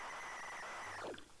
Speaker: cooler that tape sounded terrible there did you hear it